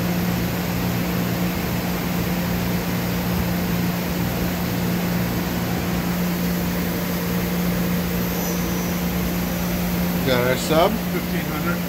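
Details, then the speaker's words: 2013 Doosan Puma MX1600ST CNC mill-turn lathe, Fanuc 31i-B5 control, sub spindle running: steady, even hum with a constant low tone at speed, no knocks, rattles or grinding; looks and sounds good, normal spindle running. "Sub at 15. Looks and sounds good."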